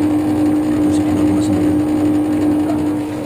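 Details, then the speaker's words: LG air conditioner outdoor unit just after condenser replacement, switched on before adding refrigerant, vacuum gauge needle dropping toward zero; steady even hum, one constant tone, no knocks or surging; normal running. "Oke, udah on ya. Hidup. Oke, udah mau operasi. Berjalan ya."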